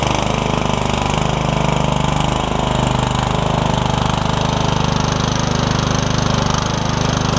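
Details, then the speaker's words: MTD Yard Machines riding mower, running after a transmission swap with a used transmission from a parts mower, new air filter: steady, even single-cylinder chug on a test drive with no misses, knocks or grinding; runs smoothly. "go for a ride let's go test the blades out and stuff too while we're here too there we go nice and smooth too I like it"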